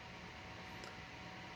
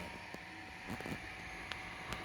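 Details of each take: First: Computer power supply, 300 W, under benchmark load: faint, steady fan hiss with no coil whine, buzz or rattle; running quietly, normal operation. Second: Nearly failing PC power supply under benchmark load around 300–330 watts: strange noise, steady fan hiss with faint high whine and scattered sharp ticks and crackles, abnormal power supply noise under load.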